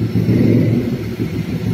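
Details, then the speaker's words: Perodua Kancil after tappet valve clearance adjustment (intake 20, exhaust 25), which had tapped loudly and lacked power: smooth rounded rev with no top-end ticking, quieter, timing now stable at 14; normal engine rev. "So power pun power dia lagi senyap ah. Okey ah bila dah adjust ni timing pun stabil ah."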